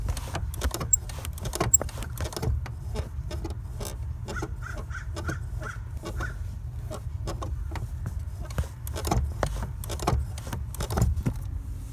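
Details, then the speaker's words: 2008 Honda Civic Si with Exedy Stage 1 clutch and light flywheel, engine idling: the dry clutch pedal pivot gives short creaky squeaks and clicks as the pedal is pressed. The pedal also squeaks while driving. "today my clutch like the clutch pedal makes such a weird noise let's check it out"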